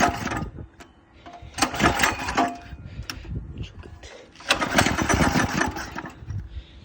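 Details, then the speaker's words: 196 cc go-kart engine with new 30 mm carburetor, revved on a stand: sharp irregular pops and crackles on throttle blips; owner suspected flames but saw none, engine also keeps dying. "I've been hearing this weird sound with the new carburetor on the go-kart it's like it's popping and I'm not sure what it is I think it's like Flames or something"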